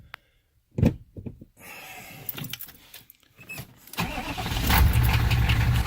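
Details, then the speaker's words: 6.5 diesel started on a manual glow plug controller set to about 10 seconds. It starts easily, then idles with an uneven, stumbling clatter, missing on at least one cylinder, with smoke and exhaust pressure. Suspected water in a cylinder; the cause proved to be a blown head gasket, cracked heads and a cracked block. "it's missing on at least one cylinder right here this is part of the rock immediately also got smoke coming out of the tailpipe"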